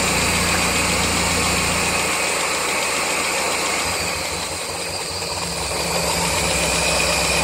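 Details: 1999 Mazda Miata at idle, started after track sessions: fast light tapping, louder as revs drop; unchanged after valve lash set to spec, oil change, or cutting #4/#3 injectors; loudest above #4 spark plug, source unclear.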